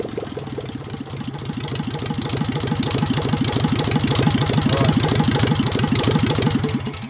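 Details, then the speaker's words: Engine with a Solex 30 PICT carburettor after the needle valve fix, timing close: steady quick tapping about three per second over an uneven idle, with occasional pops. A valve problem is suspected, not confirmed; valve clearances are to be checked once cool. "yeah she's popping somewhere but i'd say some of it could be valve problem i don't understand let it cool down and check the valve appearances yeah you shouldn't do it hopefully that popping sound will disappear"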